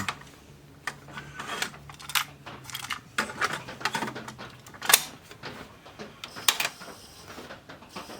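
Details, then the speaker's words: Pioneer CT-S405 cassette deck: irregular ticking and clattering clicks over faint motor hum, no tape running; transport mechanism binding and jamming, won't do anything. "not good sounds like we got something [Applause] jamming up oh it won't do anything"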